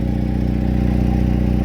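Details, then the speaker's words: Mercedes SLK 230, steady idle with a loud rapid puffing pulse on each firing stroke, too loud even after an extra muffler and steel wool were added to the rear muffler; the exhaust leak seems to come from the rear. "but still this car X is very loud I think it is leaking from somewhere"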